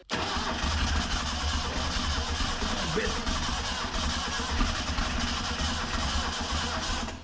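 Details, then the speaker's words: 1974 Datsun 620 pickup abandoned 45 years, fuel squirted into the carburetor: steady starter cranking for several seconds with weak uneven firing puffs that never catch; owner suspects ignition timing is off. "I thought for me there it's gonna go. I think our timing's off."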